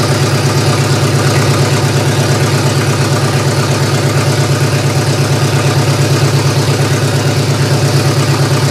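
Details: GM 3100 V6 swapped into a Camry, after firing-order check: deep idle with a lumpy pulse about twice a second that never evens out; owner suspects almost two-year-old gas is a main cause.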